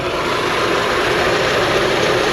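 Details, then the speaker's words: Alternator not charging and smelling cooked: steady gritty whirring over the idling engine from worn alternator bearings. "Smells like the alternator's been cooking and it's not charging. I can hear the bearings on the alternator."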